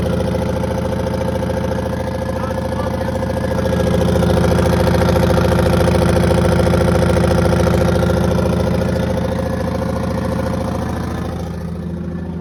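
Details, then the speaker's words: 1982 Silver Eagle tour bus, Detroit 6V92 two-stroke diesel, parked 6-10 years; steady two-stroke drone at idle with a firm regular beat and no knocks or death rattles; normal idle, engine runs. "so we do know now that uh the engine does run doesn't have any death rattles or anything"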